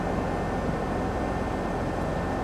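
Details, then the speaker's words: Sturtevant Size 8 Design 5 propeller fan at full speed, 219 V 60 Hz from inverter, drawing only 2.9 A versus 3.6 A rating; smooth even rushing air, faint steady hum, no wobble or knocking; running healthy. "Alright, she's up to speed, only pulling 2.9 amps."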